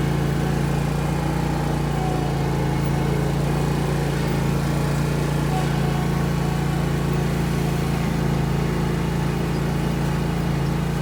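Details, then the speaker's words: Zero-turn mower test drive right after replacing the hydro belt: small engine holds steady, even drone at constant speed with no belt slapping, squeal or surging; runs healthy. "okay let's go for a little test drive make sure it's good here we go start her up"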